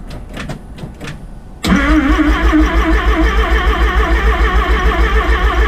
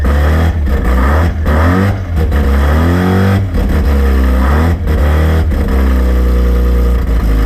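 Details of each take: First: Rotary-engined van's first start after rebuild: quiet clatter, then the starter turns the engine over in a steady pulsing beat about three a second without firing; cause not confirmed. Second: Rotary-engined van on first start after rebuild, starting off the key: fast buzzy idle with sharp revs climbing and dropping cleanly before shutdown; runs normally, though a belt was melting.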